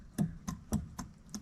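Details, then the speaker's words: Jeep 4.0 inline-six from a ZJ Grand Cherokee, engine apart, piston pushed up and down by hand: five sharp, separate clacks about a third of a second apart, showing slack; owner suspects a wrist pin issue, not confirmed. "I think I got a wrist pen issue if you can hear that"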